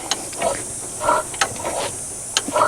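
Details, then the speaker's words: Long-abandoned 1963 Chevrolet C-20, slow cranking: wet, sputtering hiss puffs about every half second from the open plug hole of number two cylinder, which has moisture in it and possibly surface rust. "yeah it's that cylinder that didn't have a spark plug in it I can hear it got some moisture in it"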